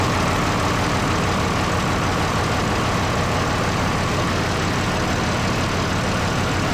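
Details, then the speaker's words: Truck's first run after extensive work, including refitting an AC line that meant unbolting a component: steady, even idle with a deep low rumble, no knocks or misses; normal idle, now able to move under its own power. "Weird. Sounds good though, eh dudes? Nice! Oh, decent."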